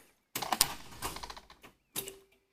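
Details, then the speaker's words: Junkyard 6.0 LS with 4L80E from a Chevy 2500, swapped into a 1979 Camaro: starter catches with a harsh rattle, engine locks tight at one spot, retry stalls too; seized, problem found in cylinder 8 (blown-up engine). "That's as good as it gets. When you crank the engine, basically it locks up, gets tight one spot, and that's it. You can back it up and then try and crank it again and nothing."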